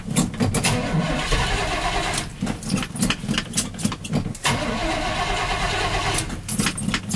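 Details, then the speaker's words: Chevy plow truck, carbureted 350 V8, stock manifold, no headers, air cleaner upside down, not run since noon yesterday: brief crank, catches and settles into strong even lumpy idle; normal healthy cold start. "whole carburated motor love that sound now this truck hasn't ran since noon yesterday"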